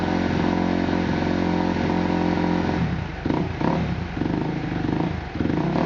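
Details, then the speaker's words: Kawasaki KX250F race bike with Racer X Vortex X10 ECU on map setting 2-3-3: crisp steady idle and clean free-revving throttle blips without stumbling or popping; no hard starting, running healthy. "this is exactly how it runs when I fire it up and it runs amazing here I'll start it up for you guys so you can see it sounds good"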